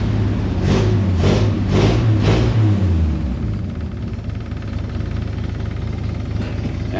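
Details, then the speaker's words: C30 V8 with a cherry bomb muffler and timing not yet set: a few throttle blips, then it settles to a steady, even low idle with no misses or knocks; the soft underneath bumping is the cherry bomb; finding: normal running. "it's cleaning up seems like it's running okay A lot quieter too that uh little bumping you're hearing underneath is actually that cherry bomb going off"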